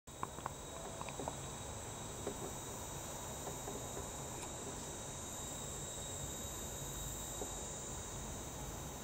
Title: Sega Saturn Power Supply Hissing Noise 2